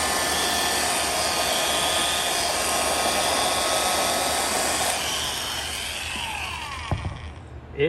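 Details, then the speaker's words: Fully restored antique Signal Type OB-4 oil can electric drill, around 1700 rpm, final run after refinishing: smooth even high-pitched whine held steady about five seconds, then coasting down, distinctly old-sounding; healthy motor. "But there's something about this motor and the sound of the speed. It's just, sounds old. It sounds really old."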